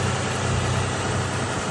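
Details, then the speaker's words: 2012 Nissan Maxima 3.5 L engine at idle after replacing the damaged intake bracket that caused knocking: steady even low hum, no knocking or ticking; engine sounds smooth and healthy. "I replace it and run like a [Music] strong after I put the new uh sprack it on and fly it up and let's go closer sounds so great nice and"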